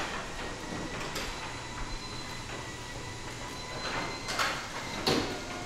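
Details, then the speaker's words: New Genie belt-drive garage door opener, ultra quiet, on an old door in a 1990 house: only a faint steady motor hum under the door's rattles and clangs, belt silent; opener runs quietly and healthy. "I mean you can hear just the slightest kind of humming sound from the motor but the belt system is absolutely silent in every way"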